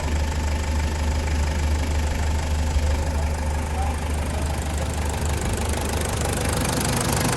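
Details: Toyota Land Cruiser with 1KZ diesel engine: a rough, slightly uneven knock rides on the idle at about three per second; engine knocking, problem reported solved.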